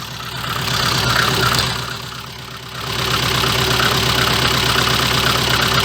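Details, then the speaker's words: VAZ 2114 engine after replacing cracked crankshaft damper pulley, alternator belt, timing belt and small crank sprocket: revs up, drops back and picks up evenly with no clatter when throttle closes; healthy, only a low exhaust leak thump present. "да действительно звуков никаких нет которые были потому что при сбрасывании газа начинался вот этот вот лязг"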